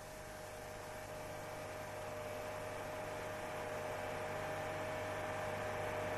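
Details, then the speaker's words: Steady low drone with a faint whistle-like tone, growing slightly louder, at 4200 rpm: engine vibration travels into the exhaust pipe, and an incorrectly installed pipe mount lets it vibrate the body, causing booming. "вибрации выхлопной трубы передаются на капри если неправильно установлена опора трубы собака начинает вибрировать корпус"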